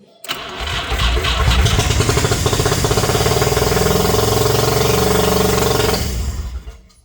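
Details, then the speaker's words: 1985 Mazda RX7 GSL-SE 13B rotary with fuel injection, first start after sitting 24 years. It cranks briefly, then catches into a fast, buzzy run for about five seconds, burning off ATF, before fading out. "We have fire. We scared. Not bad. I'm scared too, boy. So we definitely have plenty of ATF that was burned off, but we have success."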